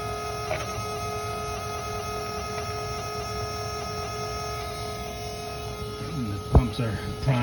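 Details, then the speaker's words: 2003 Dodge 5.9 Cummins with a no-start: after replacing the gummed-up return line to the filler neck, the fuel lift pump gives an even, steady electric hum without the earlier horrible noise. Truck still won't start. "Now it doesn't make that horrible noise that it was making. So I'll let you guys hear it."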